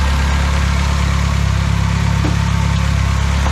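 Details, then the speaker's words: Classic Austin Mini small four-cylinder running up while setting ignition timing and filling with coolant, after first start in 9 months; steady even smooth idle, no knocks or misses; radiator found dripping at the bottom. "well i'm just running it up um it sounds beautiful it's um yeah idling really nicely"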